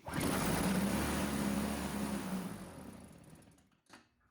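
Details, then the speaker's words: Old Toro CCR Powerlite snowthrower: fires on the primer, buzzes about three seconds, then sags and dies, so the carburetor isn't pulling fuel; the carburetor needle was later found installed upside down on the float. "Now, as you can hear again, it's working when you do the primer. But it's not staying running. So that tells me the carburetor's not sucking up the fuel."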